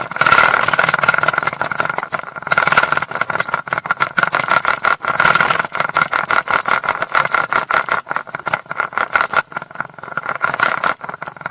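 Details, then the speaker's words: Mercury 150 HP outboard running with a rapid uneven rattling clatter over a steady mid-pitched tone: prop chatter from a loose propeller, not the shaft. "all right prop noise and how to fix it you know it goes by many different names"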